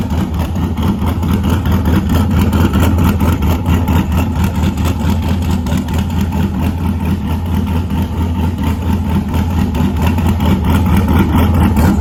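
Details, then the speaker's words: LS1 ute with new cam and upgraded Aeroflow 78/75 Gen 2 turbo and freer-flowing exhaust housing, idling in an echoing shed; loud, deep, even idle with steady lumpy pulse, no ticks or misses; normal idle. "Definitely a fair bit louder. Probably doesn't help in the shed here echoing, but yeah, plenty more flow, that's for sure."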